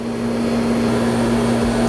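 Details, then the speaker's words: Pool pump with new 2 hp full-rated motor (2.20 service factor) running right after install without catching prime: even electric hum with thin hollow whine and no water rush; more water must be added and restarted. "all right guys i didn't prime up on that very first time you may have to do it one more time sometimes sometimes it might take twice to do it"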